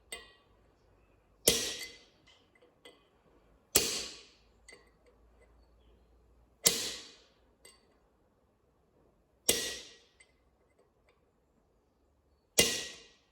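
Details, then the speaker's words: Ford/New Holland tractor front hub, new bearing driven on with hammer and punch: ringing blows every two to three seconds with a small bounce, the different note showing the bearing is seated square on the housing. "Punch wants to vibrate and fly in your face. So you know that she's sitting down nice and square on the housing like that. You can hear a different note to it, and the hammer bounces off."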